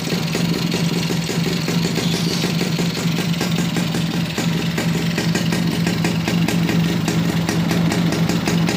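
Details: Suzuki Bravo (RC100) two-stroke after carburetor service and combustion chamber cleaning, previously wouldn't run: steady, fast burble with even beat, no misses, holds idle; normal running.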